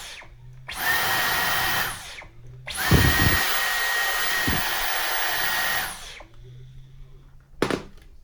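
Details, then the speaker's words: Dyson V11 cordless vacuum after repair of its broken red trigger button: a high, steady motor whine near 2 kHz in short bursts across the different speed levels, even and smooth. The motor is working fine. "Got the different levels there, different speeds. As you can hear, it seems to be working fine."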